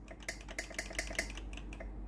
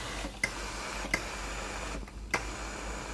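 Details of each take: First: Philips GC9550 steam generator iron before repair, soleplate hot and ready light steady: steam button pressed, sharp dry valve ticks with no hiss; valve works but no steam because the boiler isn't heating, traced to a faulty thermal fuse. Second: Philips GC9550 steam generator iron, after replacing the faulty thermal fuse (dirty, sparking contacts) that left the boiler cold: even steam hiss with light pump and valve clicks; steam delivery working properly.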